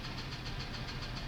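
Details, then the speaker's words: F-150 with 180,000 miles, idle: steady light knock about eight times a second over rough idle; sounds almost like valve train, plus a misfire and P0325 knock sensor code, cause unconfirmed; ticking knock at idle. "almost sounds like B train but it also has a misfire as well"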